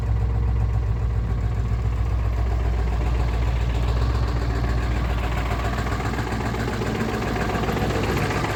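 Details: 1996 Ford 7.3 Powerstroke diesel, 292k, cold start at 18°F: heavy clatter, uneven lumpy idle, heavy smoke until warm; runs fine warm. Owner suspects misfire or bad injectors, unconfirmed; injector o-rings and cups replaced 1600 mi ago.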